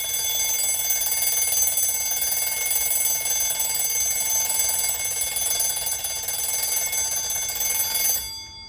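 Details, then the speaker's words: 1905 Waterbury spasmodic alarm clock after repair, freshly wound: loud, continuous high-pitched bell ringing, fire-alarm-like, for eight seconds then clean stop; normal alarm ringing. "as you can hear this clock is Extremely Loud it almost sounds like a fire alarm Bell but again it's it's it's running fantastic"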